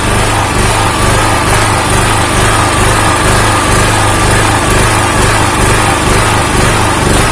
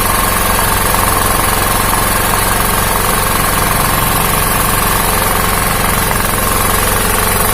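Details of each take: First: Honda GX160-type engine on a 2000 W generator: a steady single-cylinder drone whose low end pulses up and down about twice a second. Engine speed is hunting instead of holding, cause not yet known. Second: 2000W genset with a Honda GX160 engine, after a hunting idle was fixed by swapping the ignition coil for one from a compressor, with the coil-to-magnet gap set. A steady, even thrum with no surging; it now idles normally.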